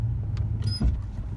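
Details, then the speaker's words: 2015 Chevrolet Silverado with a 4/6 IHC suspension drop kit, driven with hard braking and acceleration; deep low thump from the front over a steady rumble, typical IHC front clunk suspected from the arms. "I don't know if you guys heard that that real thumping that's going forward right there and breaking bumping"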